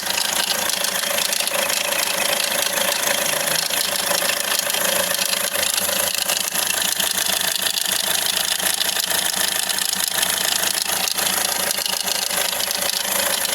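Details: Hyundai Accent RB CRDI diesel sedan idling with busy fast metallic rattle-knock about four beats a second; loose timing chain suspected, a common problem, unconfirmed.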